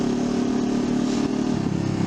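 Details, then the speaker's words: Honda CL500 twin after ECU remap (air-fuel ratio retuned; upgraded exhaust, high-flow air filter, fresh oil): throttle opened then snapped shut, steady drone with only faint ripple, no popping on overrun; backfire on sudden deceleration largely gone, only occasional single pop. "So throttle open ko tapos bigla ko i-off. Yun oh. Wala na yung mga putok-putok."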